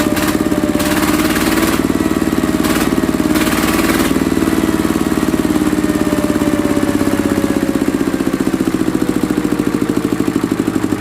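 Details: Mitsubishi D-series single-cylinder diesel after repair of fuel leaking into the oil sump and white smoke (pump plunger, valve and seal replaced): quick, even thumping holding a steady rhythm, no knocks or stumbles; running normally.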